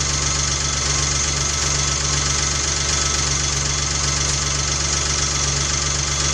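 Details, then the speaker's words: 1993 Geo Metro on first start after drivetrain restoration, timing not yet set: fast light ticking clatter, two or three a second, over steady idle, quieting as the hydraulic lifters pump up with oil. "I hear lots of people they fire a car up and they hear make all kinds of noise when it's brand new. You can hear it getting quiet right now."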